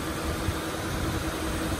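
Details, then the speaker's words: 2016 Toyota Tundra at auction: starts right up and idles with a steady even low rumble, no knocks, ticks or misses; engine sounds good, owner suspects a transmission code instead. "the motor sounds good just got to train uh that kind of light it might have a tech uh transmission code that's what i'm thinking"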